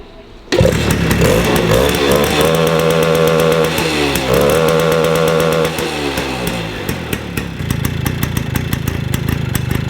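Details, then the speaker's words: 1953 MV Agusta Pullman 125cc two-stroke single fires up and revs raggedly, pitch wandering and never settling. Mixture is well off, too weak or too rich, since the mixture screw can't correct it with the needle on its lowest setting. Owner suspects wrong main jet or needle. "you can't really set anything with a mixture screw, so you know you're one way out, it's completely wrong, be it too weak or too rich."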